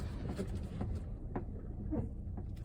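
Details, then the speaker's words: 2018 Nissan Rogue, a couple of years old but long parked, clunking from the rear: light irregular hollow taps about every half second over road hum. A seat belt tapping the plastic trim. "so if you fold the seat forward on a Nissan Juke it puts a seat belt just to where it freaking starts tapping the plastic right there"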